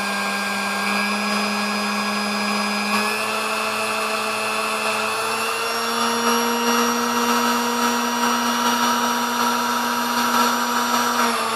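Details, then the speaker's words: Restored Sunbeam Mixmaster Model 10, run up through the speeds before parts have seated; steady clean electric hum stepping up slightly with speed, smooth and even, healthy motor. "And we'll run up through the speeds, and it may take, when we get to the top, it may take a little bit longer to run up the speed because it hasn't even really been run long enough to get everything seated."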